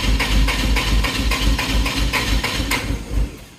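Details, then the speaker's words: Toyota forklift with a 4Y propane engine, now on the correct tank. With a slight bit of throttle it fires in uneven chuffs three to four times a second, then fades and stalls. Propane adjustments have not been checked yet. "So, giving it a hair of throttle. It actually will run, but it stalls out."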